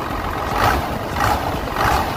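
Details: 12-valve Cummins diesel after an exhaust leak was fixed with new MLS gaskets: deep, steady idle clatter with an even pulse, no ticking or puffing at the manifold; normal diesel idle.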